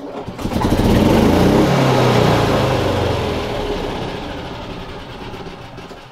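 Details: Yamaha G29 golf cart engine, previously unreliable to start and go because of a faulty stop switch: it turns over, catches quickly and settles into a steady, even run; it stops and fires right back up.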